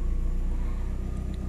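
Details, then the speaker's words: Car started cold right after a home fuel-injector cleaning, no injector leaks: an even, low pulsing idle held slightly high while cold and expected to drop, with no misses or ticks; normal cold idle. "a lenta boa tá frio o carro né ó daqui a pouco a lenta baixa"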